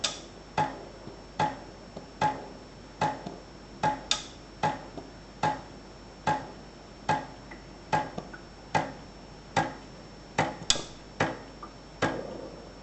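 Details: Ascaso Dream espresso machine in a quiet room: sharp single clicks a little over one per second, fairly even; a repetitive clicking from the machine, cause unknown.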